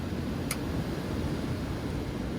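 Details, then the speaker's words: Tempstar unit being converted to a Trane heat pump, with condenser unplugged: a single sharp relay click, then a steady soft whoosh as the blower comes up to speed normally. "You can hear the fan pick up."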